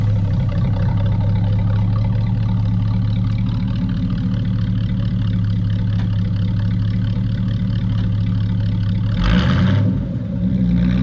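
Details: Square body truck that had been cutting out at highway speed, after cleaning clogged small fuel filters: steady, even low engine drone with a smooth pull and no stumbles or cut-outs; fuel supply feeding properly now.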